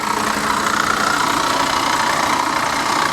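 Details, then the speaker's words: Salvage-auction Corvette convertible, AC bypassed and belt removed, fired right up on its own: rough idle with a fast uneven knock, two or three per second. Engine knock; owner suspects the water pump or something up top. "i don't know man that sounds uh that sounds a little sketchy but she did fire right up on her own gotta give her that yeah that sounds like a water pump or something"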